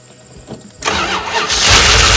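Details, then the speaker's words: 1988 Dodge Ram W150 4x4 with TBI fuel injection, first start after long storage without a battery, primed with a gas and oil mix. Starter whirs and cranks with a rising hiss but it doesn't catch; owner expects an ECU learn cycle over several starts. "all right it hasn't had a battery in it for a long time so the learn cycle on the ecu has to happen it's going to take a bit"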